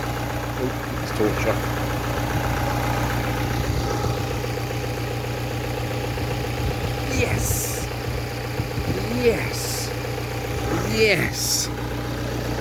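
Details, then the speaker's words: Ford Transit Connect 1.8 TDCi turbo diesel after fix of a nasty engine ticking that came with clouds of smoke; steady, even idle with a smooth low rumble and no ticking left. "I cannot hear that extremely nasty ticket wow wow that is just superb"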